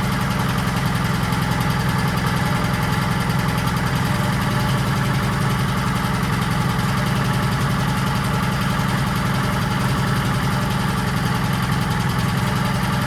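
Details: 1940s Allis Chalmers D5/HD5 crawler, two-stroke Detroit 271 diesel after long storage, running normally: deep steady drone, even beat about three to four pulses a second; motor sounds good but smokes, owner suspects troublesome injector.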